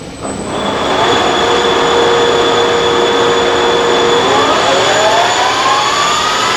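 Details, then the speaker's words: Monarch Merit lathe after converting its non-working DC drive to an AC drive; power feeds engaged, cross slide and longitudinal feeds both working. Even gear whine holding a steady pitch, then climbing smoothly as the feed engages; no knocks or grinding, feeds run healthy. "overall i'm pretty happy with it i'm putting in feed here all the feeds work crosstail works longitudinal feed works it'll work pretty good"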